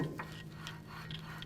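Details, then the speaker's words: 2007–12 Nissan Altima rear brake, with the rotor spun by hand while the parking brake shoes are adjusted: light scraping that comes and goes each turn; the shoes are set slightly too far out and drag lightly, so adjustment is close. "can still hear it rubbing so let's go a little bit more alright that's very very light rubbing and I bet if I was to actually tighten this down it wouldn't run yeah it doesn't rub in certain areas so we're real close"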